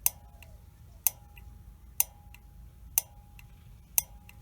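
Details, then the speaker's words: Honeywell water heater gas valve bench-tested with a battery: sharp metallic clicks about once a second as the main burner valve solenoid opens, meaning it works normally. "so listen to this you hear that clicking that pilot valve is opening up and working"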